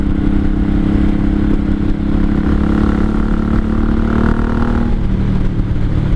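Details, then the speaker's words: 1983 Honda Shadow VT750C shaft-drive cruiser on a test ride: steady, even V-twin drone with no knocks or misses, pulling cleanly; brakes stopping properly; healthy running. "it sounds good seems to be stopping the way she's supposed to when she's supposed to"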